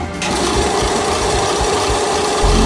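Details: Compressor with a 48-litre tank, a half-horsepower motor and an original Altamira head: the motor kicks in and the piston settles into a quick, even thumping over a steady hum; pumping normally with no knocks.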